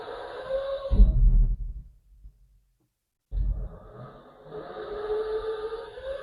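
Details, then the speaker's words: 1971 GMC electric truck with Lexus GS450H transmission, input shaft locked, spinning MG2 only, unloaded wheels, trans fluid pump disconnected: low hum rising into clean steady whine, pause, even spin again in reverse and forward; normal motor spin. "Okay, I think that's as normal as it's going to sound. Um there's no load on the wheels because of the regen issues and all this kind of stuff."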